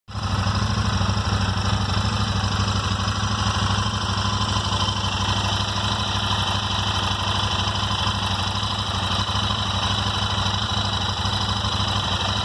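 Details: Royal Enfield Interceptor 650 twin at idle: light, irregular ticking about three a second over the exhaust beat, from the left side of the engine near the rocker/head covers; random top-end tick that Royal Enfield has been unable to solve.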